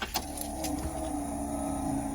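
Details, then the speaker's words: 1941 Cadillac being revived, with the ignition on. A steady low electric whir at an even pitch as the fuel pump primes and draws gas into the carburettor bowl. The pump is working, but the fuel lines then leak. "Oh, it's grabbing gas, so I can hear it."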